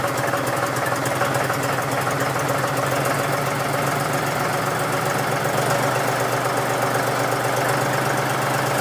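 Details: John Deere 5103 tractor diesel, cold start at about 29-30°F after sitting a few days: steady, even diesel clatter at constant idle as the cold engine warms, nothing wrong.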